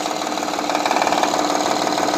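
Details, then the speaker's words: Honda Elysion 3.0 V6 with cylinder deactivation, clatter from one head growing as it warms: fast even ticking over idle from worn timing belt tensioner and idler pulley, belt flapping; timing belt, tensioner to be replaced. "если приложить прям натяжитель ремня грм и ролик обводной ремня обводной ролик ремня грм вот сверху туда прям засовываешь с этих роликов самые исходит"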